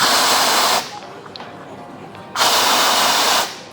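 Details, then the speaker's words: Espresso machine after steam boiler pressure turned clockwise from 1 back up to 1.2 bar: two sharp hissing steam wand flush bursts under a second each with a quieter pause, boiler kicks in then stops; normal. "So every time you flush, the boiler will kick in. Okay, now the boiler has stopped boiling and the pressure now is 1.2."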